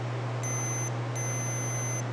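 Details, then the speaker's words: Multimeter continuity test on riding lawn mower key ignition switch, ground and coil-wire terminals in off position: two clear high beeps over a low hum, showing the terminals connect. Multimeter continuity beep. "You see that? So that means that those two are touching."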